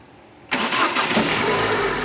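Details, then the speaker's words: Renault Megane/Scenic 2.0 F4R after replacing the VVT pulley that caused a diesel-like noise when hot: starts and settles to a quiet, even idle with no knocking or ticking; noise gone cold and hot. "beleza quietinha pronto para o barulho beleza e é isso aí agora não vai fazer para nem a frio nem a quente que o motor ficou silencioso de volta"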